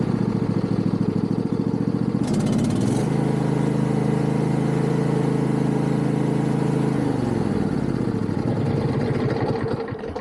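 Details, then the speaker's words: Yard Machines MTD riding mower single-cylinder, after tightening loose engine mounting bolts: revs up smoothly, holds a steady higher tone, settles to idle with no knock on throttle; earlier knocking noise gone, fixed. "Actually, that fixed it. Because if you remember before, it was making a terrible noise every time I would throttle up. It would make a knocking noise almost, and we don't have that anymore."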